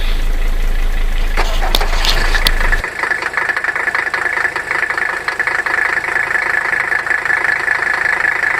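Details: 1984 Mercedes 300D Turbo Diesel, over 329,000 miles, on a recharged battery after a frosty morning; heavy cranking catches, then even diesel clatter at idle with steady rhythm, no misfire or stumbling, normal idle.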